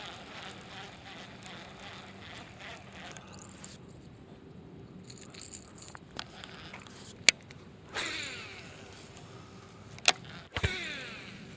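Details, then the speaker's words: Late-1990s Shimano Curado CU-200 baitcaster after one drop of oil on each bearing: a fast ticking retrieve with slight gear noise, then smooth casts whose spool whir fades without the earlier screech. "still have a bit of gear noise when I'm reeling it in but so far the casting is smoother"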